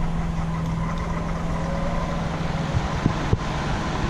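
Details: Honda EU3000is inverter generator in eco mode, warming up before an oil change, running about 10 minutes with an exhaust fan running nearby: steady, even low hum with no misses or knocks; normal idle.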